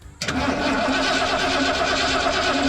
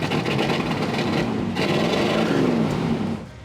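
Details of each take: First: 1978 Ford F100 driveway rescue, fuel tank removed, new battery fitted; starter cranks engine strongly and evenly but it never fires; fuel pump not yet confirmed delivering fuel, to be tested next. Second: 1978 Ford F100 on road test after revival, new fuel tank and front brakes; steady engine pull under road and wind noise, no knocks, squeals or misses, oil pressure good, running healthy.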